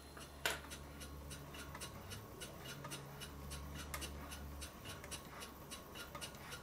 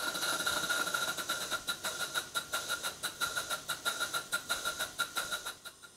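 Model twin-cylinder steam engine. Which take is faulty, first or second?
second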